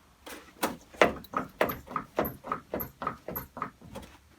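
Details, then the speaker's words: Renault Clio 1.5 dCi front nearside (passenger) suspension knocking as the front end is rocked, steady clunks nearly two a second; owner first suspected top mount, found top coil of spring snapped; new spring and steering bearing cured it. "I've got a problem in my front suspension I think it's the top mount on the passenger side"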